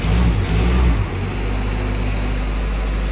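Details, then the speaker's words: 1972 Range Rover Classic Suffix A diesel being recommissioned: first start after sitting catches with a loud deep surge, then settles to a steady low cold idle with no knocks, smoking a little; normal cold start and idle. "wow i wish you could see my face right now i did not expect that to start okay yeah she is uh [Music] she's smoking out a little bit"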